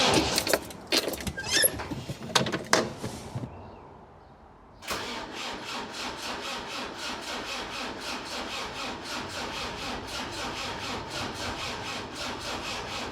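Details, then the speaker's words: Land Rover Defender 300 TDI diesel, lower-mileage replacement engine with new timing gear and Dayco belt, first start attempt, glow plugs working: starter turns slowly and evenly, about four compressions a second, good compression, never fires; fuel not yet pumped up. "Right, we need to get some diesel up. Uh that needs pumping. Now, I'll pump some more diesel up and I'll give it another go. Sounds a bit slow on the starter, but it sounds like it's got good compression."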